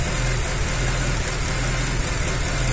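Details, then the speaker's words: 2007 Mercedes-Benz ML63 AMG V8 after engine reassembly and camshaft timing, new plugs, just back from a road test: mostly even idle with an occasional soft stumble. Intermittent misfire, no misfire codes set, cylinder not yet identified. "so it's all back together running just came back from a road test and if you listen to this thing it's got an intermittent misfire"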